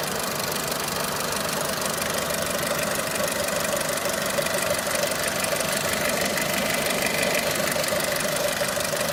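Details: Renault Clio 3 1.4 16V engine at steady idle with a dry ticking knock about twice a second over a busy top-end clatter; engine knocking, source unknown.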